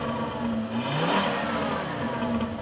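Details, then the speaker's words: Volvo 5-cylinder turbo, previously badly misfiring, just fitted with new NGK spark plugs: it starts quicker, blips up and settles with only a few light exhaust pops, which is normal. "hey yo so your car was badly misfiring cuz now it pops a little bit of Pops so yeah man that that sounded that sounded pretty damn good not going to lie"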